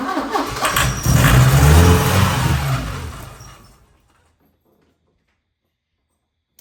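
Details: 1980 Porsche 924 Turbo, new fuel filter, last attempt of the night: cranks and catches briefly with a rough, uneven beat, then dies; won't stay running, fuel injectors and fuel pump suspected.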